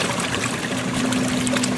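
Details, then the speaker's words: Free used Kenmore 80 Series three-speed washer tested outdoors on fast agitation: mostly water sloshing over a faint steady low hum, no knocking or grinding; exceptionally quiet and smooth, though it has a water leak. "you got more sound of the water splashing around than you do of the machine running this one is exceptionally quiet"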